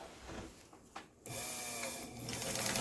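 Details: Brother B200 sewing machine after repair and fitting an electric motor with belt tensioned, run by foot pedal: motor spins up to a steady even whir with quick regular stitch ticks, running smoothly and healthy.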